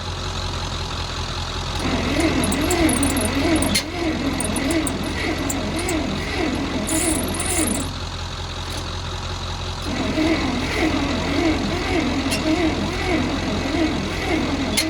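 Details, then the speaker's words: Bantam truck crane sat in a quarry for years, carb float bowl filled from a temporary fuel tank, choke setting uncertain: starter churns in long slow bursts under two beats a second with pauses; never fires. "Trying now. I don't know if it wants more choke or less choke or what it wants."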